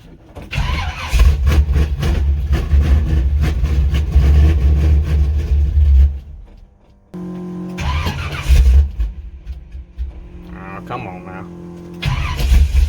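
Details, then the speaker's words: Square-body Chevy C10 small-block V8 on its old carburetor, cold after a few days sitting, throttle pumped: catches after cranking, then runs lumpy and uneven, stumbling and dying before a restart. Rough cold running. "now hey as you can tell she don't like cold"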